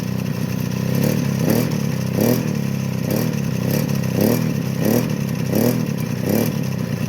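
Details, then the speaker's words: Suzuki LT50 two-stroke ATV that bogs and cuts out after 5-8 minutes warm; crank seal replaced, unsuccessful fix, smoking. Short repeated revs about every 0.7 s, pulling flat and laboured; warm compression barely 25 psi, low compression. "So I've just tested it again after it's been running about 10 minutes. It's warm now. It's barely 25 psi, so no wonder it's not running right."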